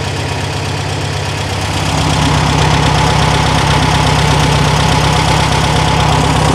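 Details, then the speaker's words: 1974 Super Beetle after installing new Pertronix ignition: bumps over, catches and settles into a steady, smooth low idle with no misses; normal idle. "all right bumps over fires up sounds good let's get that airbox on engine done"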